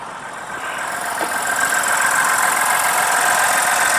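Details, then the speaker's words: 2020 Ford Explorer ST EcoBoost with direct injection, quiet engine at idle. Light, fast, even ticking over a soft hiss is the normal chatter of the direct injectors. "just hear it ticking away for this little EcoBoost direct injectors"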